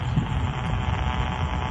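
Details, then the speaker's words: Ham radio receiver near faulty power line equipment, about a block from the junction box: steady buzzing hiss with a low throbbing hum, no signal; broadband power line RFI, strongest pointing toward the power line. "we still have the noise also that power line we've come about a block away you can i'm pointing at the power line you can still hear the noise"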